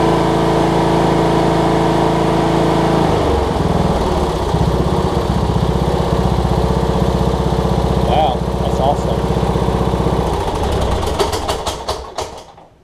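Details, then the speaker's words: Cub Cadet riding mower, Kohler Courage single-cylinder engine, just after HIPA carb kit replaced a carb that leaked all its gas out: steady even chug, no misses or surging, then clean shutdown; normal running. "Best running Kohlers I think I've ever seen. My goodness. Kohler Courages anyways."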